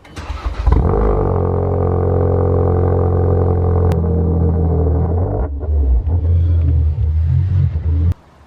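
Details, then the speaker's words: Stolen-and-recovered car, freshly serviced, with a new battery and fresh fuel: cold start with a deep, strong rumble settling into a steady, even high idle with no knocks or misses. Healthy cold start. "I love that car. Sounds so good."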